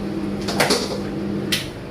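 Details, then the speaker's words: KDK ceiling fan installed 2004, after full overhaul, cleaning and regreasing of bearings that had been dry and noisy: only a faint steady low hum, no grinding; bearings now running quiet. "Sebelum ni ada bearing macam bunyi bearing sikit, bising sikit. Alhamdulillah. Memang macam baru ah."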